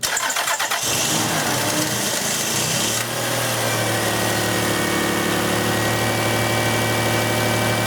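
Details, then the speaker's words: 2000 Lexus RX300 3.0 (1MZ), towed-in no-start, throttle held open by hand: cranks, catches and runs smoothly; idle air control valve stuck closed. "I'll let go of the throttle second you let go the fall of the car stalls one of the symptoms of an idle air control issue is exactly that a vehicle that runs fine as long as your foot is on the throttle"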